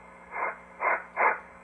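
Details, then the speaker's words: Drake TR4C ham transceiver, relay replaced, OA2 tube removed; receiver audio still plainly audible with volume turned fully down; volume control not taking effect. A friend points to an overvoltage issue carried from TR3/TR4 designs (about 1.5K resistors), unconfirmed. "He said the volume on that YouTube video, the volume was going way down, and it doesn't. If you have this down all the way, it's still cranking along."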